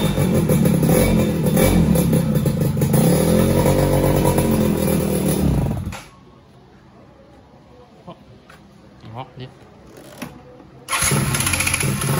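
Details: Two-stroke engine first start after rebuild, using the old small CDI, before carburettor needle re-setting: runs rough and lumpy with uneven pulses, cuts out and restarts; main and pilot jets suspected too small, and it ran much better after needle adjustment.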